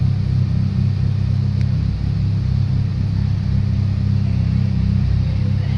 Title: 600bhp Evo 8 MR anti lag/ misfire 3